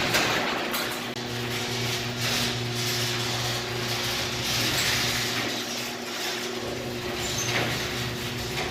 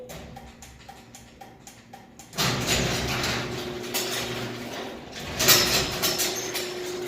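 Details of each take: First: Garage door opener closing after re-securing the loose left safety sensor: steady motor drone with smooth rolling and rattling, no strain or reversal, door now closes normally. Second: Garage door opener clicks, motor runs with a steady rumble, then a jolt partway down as the door reverses back up and won't fully close; cause is dirty safety-sensor lenses.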